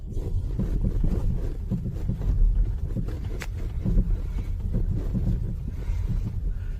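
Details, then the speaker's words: 2012-2020 Ford Focus (Focus 3) driving over potholes: irregular dull knocks from the front right over road rumble; front stabilizer (sway bar) links replaced. Sway bar link knock over bumps. "و در قسمت جلو سمت راست صدای تق تق شنیده می‌شود - می‌توانید هنگام رانندگی روی چاله‌ها آن را بشنوید"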